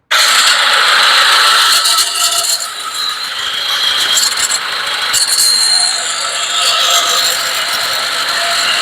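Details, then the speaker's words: Nissan Navara D40 YD25 diesel turbo engine, also emitting white smoke (possibly rings or valve seals): harsh high-pitched whirring rattle like a helicopter as the turbocharger blades strike the metal housing. "lepas dia punya bunyi Enjin macam helikopter dia punya BL terkena besi ee kena macam helikopter punya bising Enjin dia"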